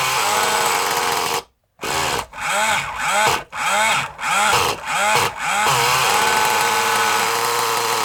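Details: Kyosho Mini Inferno nitro RC engine being tuned; blips about six times, each rev sagging and burbling instead of crisp, sounds very rich; leaning the mixture, cause suspected not confirmed.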